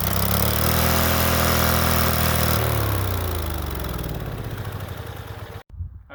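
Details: Late-1990s Snapper SR1642 riding mower, sat for years, started on carb cleaner on the first pull: engine bursts straight to a loud, flat-out howl with no idle, then winds down; runaway full throttle because the throttle linkage was left disconnected.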